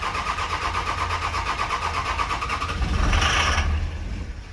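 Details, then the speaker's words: 2006 Dodge Ram 2500 single cab Cummins diesel with automatic transmission, over 200,000 miles, sat unused: cranks at a steady rhythm with a brief surge but won't start; tach signal present, no DTCs, fuel system problem suspected. "Okay, so we did have tach signal. The tach did come up. We definitely have an issue somewhere else in the fuel system."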